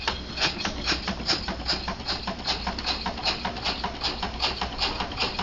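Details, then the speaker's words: Homemade steam engine built from off-the-shelf parts, with bicycle pumps and an O-ringed slide valve, running on compressed air after the pressure was raised above about 8 psi: crisp, even chuffs about 2.5 a second, train-like, running properly. "it ain't nothing but Machinery sounds like a damn train I like it"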